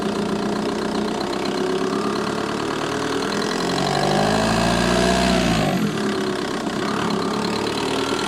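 Over the diesel idle there's a fast light ticking, roughly four a second, that stays through a brief rev. It's a ticking engine bay at idle, source unknown.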